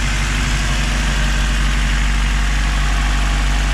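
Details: K24A-swapped EM2 Honda Civic coupe just after installing Drag Cartel drop-in cams, new injectors and valve lash adjustment, still warming up: steady, even, deep smooth idle with no ticking or knocks; quiet valvetrain.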